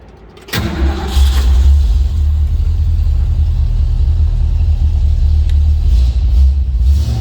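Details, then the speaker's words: 1949 International KB2 pickup with a V8 and automatic transmission, started with a turnkey and push button: the starter catches quickly, then a deep, even V8 burble settles into a steady, healthy idle with no knocks or misses as it warms. "Let it warm up just a tad bit here. Nice sounding truck. V8 underneath the hood."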